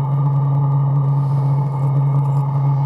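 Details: Chinese diesel heater in portable aluminum box, at minimum after about six minutes running: steady low hum with faint even fan whir, no sputter or surging; burning cleanly at low output.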